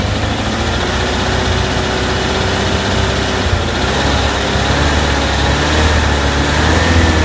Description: Random knocking sound at idle, only when engine is warm. Sound disappears above idle.